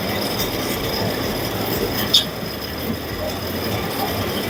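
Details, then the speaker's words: Carrier 1.5 ton 18,000 BTU window AC running on medium fan speed: steady loud rushing roar with faint high whine from the fan motor, caused by defective fan motor bearings, later replaced. "It's very bad noise coming from the fan motor."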